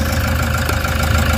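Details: Toyota Hiace diesel after fixing a check engine, vibration and low power fault (EGR codes P0400/P0406, air temperature sensor code cleared): a steady, even idle with a smooth low rumble and no misfire or hunting.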